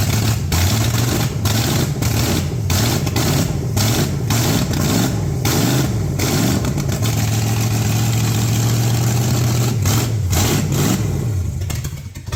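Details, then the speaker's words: Plymouth Duster dirt-track racecar with newly installed engine and transmission, first start on racing fuel with carburetor primed and the old plug wires: loud, deep rumble catches, throttle blips rise and fall, then it dies away; starts and runs. "Man, that is music to my ears, I'll guarantee it."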